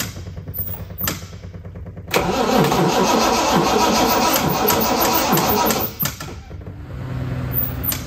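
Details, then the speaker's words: Second classic TVR: battery powered the fuel pump but not the starter, so a small jump pack (at 75% charge) was connected; steady cranking about three turns a second, then catches and runs up. "this one the battery had enough power to power the fuel pump but not enough to run the starter"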